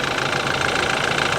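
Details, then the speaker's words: Older BMW, warm idle and a little throttle: loud, fast, even ticking clatter; owner thinks it may be direct injection, unsure; no exhaust smoke; seems loud, cause unconfirmed. "I mean I don't know I guess it's all right it it seems a little loud to me though no smoke coming out of the exhaust so that's good"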